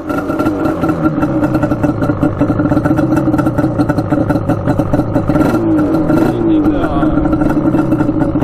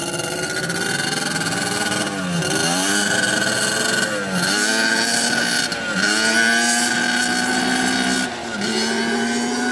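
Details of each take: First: Yamaha Banshee twin two-stroke, baffles out, no air filter, choke held by a zip tie: starts on the first kick with a crisp, even ring-ding crackle that holds steady and picks up cleanly. Runs well tuned. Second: Yamaha Banshee two-stroke twin, rarely ridden, on its first test ride: revs climb hesitantly through each gear, muffled and bogging from 1/4 throttle right after each shift, not clearing out until about 4th gear.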